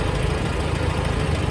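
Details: 1954 Farmall Super C tractor idling after starting on choke with a newly fitted eBay 6-volt starter: a steady, low chugging idle with a regular beat and no misses or knocks. Normal idle.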